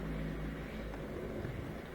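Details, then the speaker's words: Miele dishwasher with F-08 error, after repair: steady, even rush of water sprayed around the tub over a low pump hum, no longer cutting out every 10 seconds; normal wash circulation while still filling. "so before would circulate for about 10 seconds and then cut out rest 10 more seconds cut out rest but i think it's continually circulating now as it fills up more water we should hear it shooting around even more and more"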